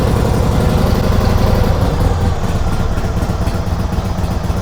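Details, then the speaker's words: 1946 Harley-Davidson FL Knucklehead idling just after its first start in 20 years, no choke; steady, even low thumping about four beats a second with no knocks or misses; idling cleanly and healthy. "Purrs like a kitten. Unbelievable. Yeah, it runs really good."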